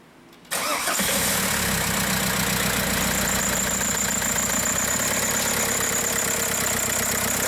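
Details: 2004 Passat TDI 2.0 BHW pumpe-düse diesel, towed in shaking, check engine light with cylinder 2 misfire (P0302) and boost pressure regulation codes: starts and settles into an uneven, lumpy stumbling idle from a dead cylinder.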